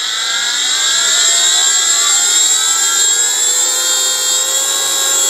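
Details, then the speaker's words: Motorised grinding spindle motor fitted to a mini lathe, started from minimum on the speed pot with no driver error codes, then wound up; smooth, even whine climbing steadily, no knocks or roughness; normal spindle motor run-up. "speed pot down to zero run and the way we go that's minimum I'm just turning the speed pot up now"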